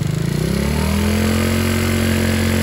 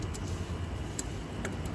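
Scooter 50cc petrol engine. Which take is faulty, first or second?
first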